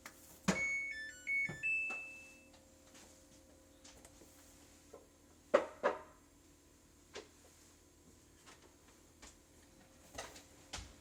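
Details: Samsung WA400PJHDWR/AA top-load washer, 2.5 years old: start pressed, short chime, faint door-lock clicks, then near silence; display and lock work but the motor never runs, washer won't start.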